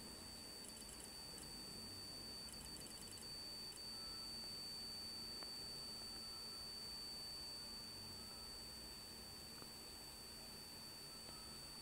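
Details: Hitachi 5K250 HTS542512K9SA00 120GB 2.5-inch laptop hard drive giving irregular clusters of short high-pitched beeps over a faint hiss, with very slow transfer speeds. The drive is suspected to be dying, not confirmed.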